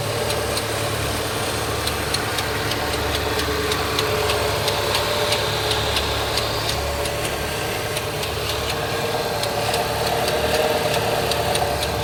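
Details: Opel Z20NET engine at idle: light, irregular ticking about three times a second over the engine hum, traced to the secondary timing chain tensioner; the fix is replacing the chains, guides and tensioners.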